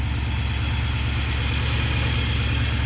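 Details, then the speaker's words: Nissan NV3500 engine restarted after about 1.5 years sitting, with old fuel and a recharged battery: deep steady idle throb with a slightly uneven beat; starts fine but runs a little rough. "Engine sounds good, but it's a little rough."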